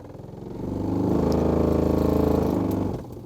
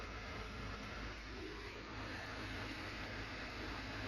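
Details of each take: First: 2008–2013 Nissan Rogue heater blower at 14 degrees, making a Second: 2008-2013 Nissan Rogue heater blower motor, key on accessories, heat fully open, after owner complained of a monster sound. Smooth, steady air rush with no rattling, scraping or thumping; motor quiet, normal blower operation.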